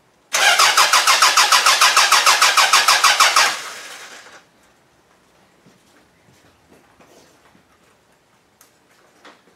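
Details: Toyota Camry demolition derby car, third day not running, OBD1 bypass done: steady cranking about three turns a second for three seconds, never catches; crank no start, later traced to no power to the computer.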